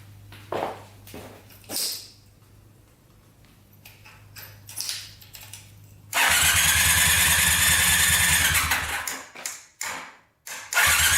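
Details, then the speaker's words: Honda trike with a swapped-in 400cc motorcycle engine, on a jumper after too little battery power: quiet hum then a strong, steady cranking churn for about four seconds with short bursts after; electric start works. "oh yeah she cranks just fine all right cool electric start works"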